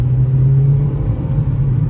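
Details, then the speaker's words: 2017 Hyundai Solaris 1.6 automatic on a test drive before dismantling: steady, even low drone with no knocks or whine; gearbox shifts perfectly, stabilization and ABS work, steering is tight, no driveshaft crunching. Normal automatic transmission operation. "драйв подвеска собрана коробка переключает прекрасно стабилизация работает"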